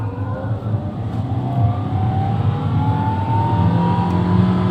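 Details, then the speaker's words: 2014 Toyota Etios Valco after Blackcore tuning, previously sluggish and droning at 3000 rpm, revved in 2nd gear to 4000-5000 rpm: smooth, even note climbing steadily with no drone or roughness; healthy. "Oh, ini malah 4000 5000 RPM-nya. Suaranya masih halus ya?"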